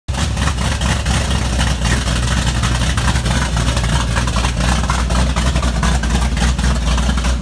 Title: 79 Z28 Camaro - first startup after rebuild